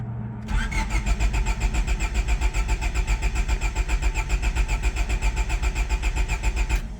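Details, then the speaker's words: Honda EK Civic crank no start: starter cranks evenly about six seconds without catching; main relay (with built-in fuel pump relay) and fuel pump not heard at key-on; owner suspects fuel pump, unconfirmed. "first time I turned the key did not hear the main relay did not hear the fuel pump"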